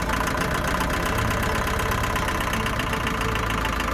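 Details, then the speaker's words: Land Rover Series III diesel left sitting for years, restarted with a new battery and ignition barrel: loud rough idle that doesn't rev well, with a steady rapid knock; owner unsure, thinks it sounds like a top end knock. "it actually idles on its own it doesn't rev very well and I'm not sure what that knocking is but it sounds like a top end knock"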